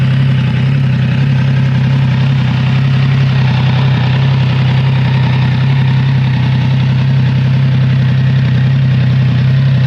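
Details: Triumph Trident 660 triple-cylinder motorcycle cold start: steady deep triple growl at cold idle with a faint uneven light rattle on top; source of rattle not pinned down.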